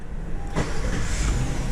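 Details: Acura MDX (2016–2022 type) after starter motor replacement, which before only clunked without starting: a brief crank, then the engine catches at once and settles into an even run with no clunk; the new starter works properly.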